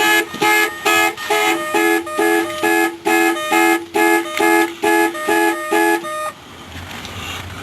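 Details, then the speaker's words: Ford Taurus not started in a while, battery dead; once jump box connected, alarm sounds about a dozen evenly spaced two-tone honks at just over two per second, then quiet; alarm triggered by dead battery. "That's the problem was with the dead battery. That's why the alarm went off."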